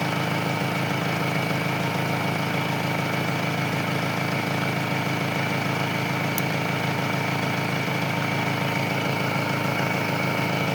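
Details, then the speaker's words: Engine holds a smooth, steady idle after a jump-start by parallel connection (battery had dropped to 4 volts, now 14 volts), with the battery terminal removed; it does not stall, showing the alternator is charging. Normal idle. "Yan oh. Hindi namatay. Ibigas sabihin niyan may charging ang kanyang alternator."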